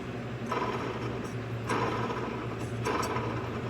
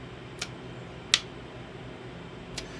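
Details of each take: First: Cub Cadet LTX1045 mower deck with belt tension released: spindle pulleys spun by hand, two smooth, one gives a dry gritty rasp each turn, no play but noisy worn bearing; pulley to be replaced. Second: Cub Cadet LTX1045 riding mower starter solenoid bench-tested with a jumper pack: three sharp clean clicks as it pulls in, reading about 12.7–12.8 V output; good solenoid, problem likely bad connections.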